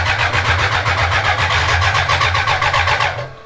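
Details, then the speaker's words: 1000cc BMW-powered mini trophy truck (trophy kart build), first start attempt in the chassis with oil looking milky: even fast starter cranking near four pulses a second, no firing; fuel lines are empty and air must purge. "Now I do realize that the fuel lines are empty. Yeah, and it's gonna take a little bit to purge it, all the air out."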